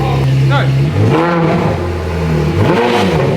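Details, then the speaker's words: Ferrari F430 with rebuilt engine, no exhaust, in neutral after a gearbox scare: crisp V8 blips rise and fall smoothly with no hesitation or misfire, revving much better and freely. "It revs a lot better. Listen. Way better."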